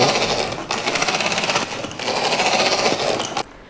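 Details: MJX Hyper Go 10208 RC truck, new out of box, before fix: harsh gritty rasp with fast chattering pulses as the motor spins up; loose motor pinion grub screw letting the drivetrain gear grind.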